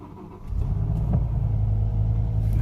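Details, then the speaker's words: 2005 BMW M5 S85 running: deep rumble with uneven lumpy beat, really bad misfire and rough running; engine light shows reduced power and the ECU cuts injection to cylinder five. "the engine misfire is really bad there's a really bad misfire it runs really rough"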